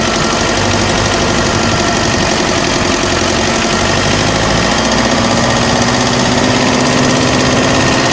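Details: OM601 2.3 diesel running steady with a loud, rough knock about twice a second over the clatter; an engine knock, cause not determined.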